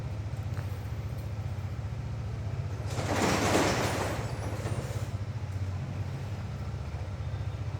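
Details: Steady, even low thump from a motorbike engine collected from the service centre after three days of repair for an engine noise, rain and a passing hiss behind; no knocking or ticking, the earlier noise is gone.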